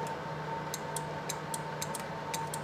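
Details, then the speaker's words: Sea-Doo XP DI that gives 3 beeps and won't start: with the tether's purple wire jumped to ground, crisp separate clicks, about eight in under three seconds, over a faint hum. The relay pulls in and works normally. "If I jump that purple wire to ground, you can hear the relay clicking."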